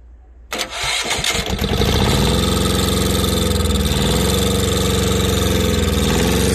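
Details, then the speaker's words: Old Japanese Yanmar two-cylinder 9.5 hp diesel adapted for farm use, fan cooled, restarted after shutdown: cranks briefly, fires within a second and settles into a steady, even diesel thump at idle; starts easily. "เอาแค่ลองดับเครื่องดูลองสตาร์ทดูดีๆโน้ทนะครับติดง่ายนะครับ"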